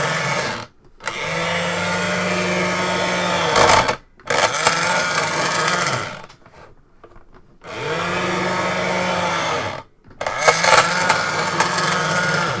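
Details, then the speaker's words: Sega Video Driver toy, gearbox running after a deformed part that jammed the mechanism was removed: loud droning whir in bursts, each starting and stopping cleanly, like an upset cow mooing; runs without jamming. "And it's not jamming. It sounds like a really upset cow mooing angrily at me"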